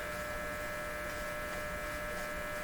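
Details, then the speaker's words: Dominion Electrohome TR50 console receiver on AM with volume up, tuning makes no difference: steady low electrical hum with a faint buzz and no station; no AM reception, cause not yet known. "We're on the AM radio. Let's turn the volume up here. Okay, so we hear something. Let's tune. No difference."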